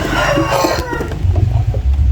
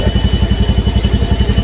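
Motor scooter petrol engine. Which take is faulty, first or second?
first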